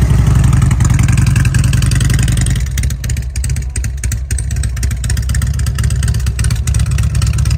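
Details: 2006 Harley-Davidson Road King after 88-to-95-inch kit upgrade with Harley ported and polished heads: deep, loping V-twin idle with uneven potato beat and a brief throttle blip; runs healthy, lumpy from the cam.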